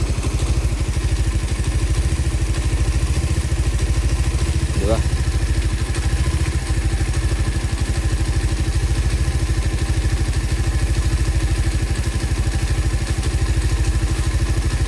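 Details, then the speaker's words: Raider 150 Fi on a stock ECU taken from another motorcycle, warm engine: fast, even single-cylinder putter holding a steady beat with no hunting or stumble; normal idle, clutch side slightly noisy with the lever released. "Ayan, steady kita mo naman, steady yan. Steady yung minor niya."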